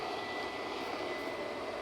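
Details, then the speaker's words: Xbox 360 powered on after a red-ring reflow attempt: a loud, steady, high rushing whoosh with a faint constant whine and no rattle. The cooling fan is roaring at full speed. "But it turns on. Let me get a controller. And holy crap, that's loud."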